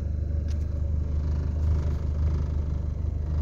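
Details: Mitsubishi Lancer at normal operating temperature, idle servo (IAC valve) bypassed, air conditioning off; even steady low rumble with no stumbles or hunting, idle smooth around 790 rpm.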